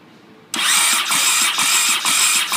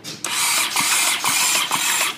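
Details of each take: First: Honda CX500 project with donor engine just mounted, battery at about eight volts: sluggish starter turns it over in slow even pulses about twice a second, never catches, though spark is present; slow cranking from low battery, no start. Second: Honda CX500 donor engine just mounted in the frame, ignition jumped, battery at about 8 volts. High whirring starter spin pulsing with each compression; the engine turns over freely with spark present but doesn't fire. Normal starter cranking.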